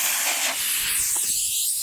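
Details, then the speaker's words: Front tire of a small diesel mini tractor, old weather-checked tires kept going flat, engine off: continuous sharp hiss of escaping air, steady with slight flutter. Leaking tire valve stem. "leaky valve. Yeah, look at that."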